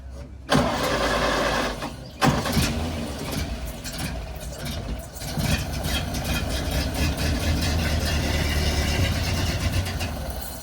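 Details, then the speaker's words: 1930 car at auction with a newer motor (oil pump and oil filter) and a 2-speed overdrive, started with the choke pulled back. It catches on the second crank and runs steady and even, with no knocks or misses, described as running beautiful. "Watch out, he's gonna fire it up. Pull the choke back. Only when you go to show them off. Yeah. Where's the timing set? This thing runs beautiful."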